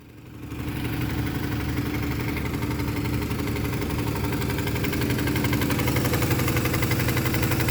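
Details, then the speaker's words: Big-block V8 in OBS truck at first start: uneven, loping idle with a light tick about four times a second; a dead cylinder, owner suspects a couple of stuck lifters. "Yeah, it sounds like a couple lifters are stuck. But hey, it does fire up."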